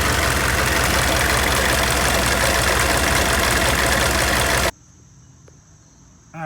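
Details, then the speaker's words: GMC OBS 6.5L diesel pickup, 171,944 miles, much idle time, belt too short: regular hard clack almost four times a second at idle, stopping at shutdown; loose crankshaft pulley slapping, shiny wear mark, earlier blamed on power steering pump. "focus that's this pulley slapping around and i'll throw another video in there and you guys could hear that"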